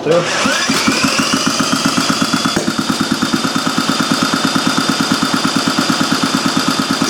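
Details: Old Briggs & Stratton Model A single, first start with gas squirted into the cylinder and the carburetor not yet serviced: catches after a brief crank, then settles into a steady chuff near three beats a second; fires evenly and runs fine.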